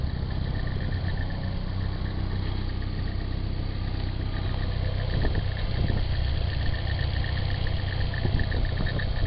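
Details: Nissan 240SX, stock engine, 160,000 miles, at idle. Faint, irregular light rattle over the low engine note; the owner suspects the timing chain hitting its guide or water pump noise, unconfirmed. Rattle at idle.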